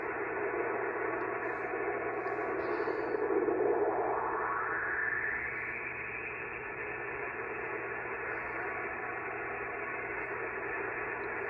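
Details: Pyramid 50 A switching DC power supply (bought January) powering the shack, heard on the receiver: steady harsh hiss with buzzing, wandering tones, noise climbing when the supply switches in versus battery power; switching power supply RF interference.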